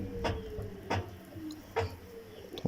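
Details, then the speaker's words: Samsung washing machine that makes a strange noise during spin: inner drum turned slowly by hand gives a scraping swish with a faint click about every second, repeating each turn; source not yet identified. "الداخلي، فإنه يصدر صوت كما تسمعون."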